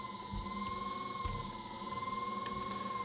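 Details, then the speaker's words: ECM multi-speed HVAC blower motor running on low speed, 24 V signal wire disconnected: steady whir with constant high whine that never slows; motor fails to shut off, pointing to a faulty motor. "so this blur motor should shut off if this blur motor was good anytime you lose your 24volt signal wires that blur motor should shut off but you can see that this one is not shutting off"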